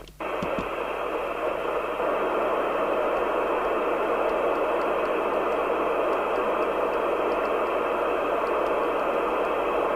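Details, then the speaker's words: Interceptor TC300 CB27/81 UK FM CB radio after dry-joint repair, reference crystal replacement and receive alignment, on aerial: steady even hiss with no crackle or dropouts; receiving normally. "i've just got this on the uh aerial is it it seems to be working sounds like it is roger"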